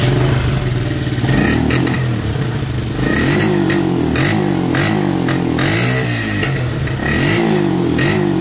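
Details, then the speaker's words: Motorcycle with the old ignition coil refitted while hot, for comparison: revs surge unevenly, bog and fade out until it stalls, then it is hard to restart; faulty ignition coil confirmed as the cause. "no se nos apagó vamos de nuevo y ahora es cuando cuesta aprender algo pasó ahí inmediatamente comenzó el problema"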